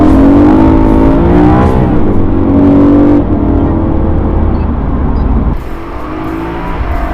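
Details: Rebuilt BMW E92 M3 with DCT dual-clutch transmission on its first test drive after the rebuild, no dash warning lights. Strong rising engine note with crisp pitch drops at each quick upshift, a smooth pull through the gears. Normal engine and transmission.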